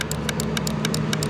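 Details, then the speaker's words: 2006 Mini Cooper S supercharged, under the hood: quick sharp clicking about nine per second over low hum from a pulsating, warm component in the fuse/relay box; engine almost cranks but won't start; cause suspected. "so then it brings me back to this hmm if you guys can hear this you guys hear that something is clicking in here"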